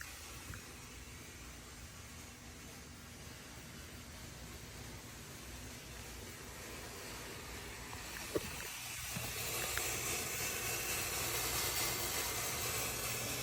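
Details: Corvette C7 Z06 after engine shutoff: steady airy hiss growing louder toward the end, with no running engine behind it.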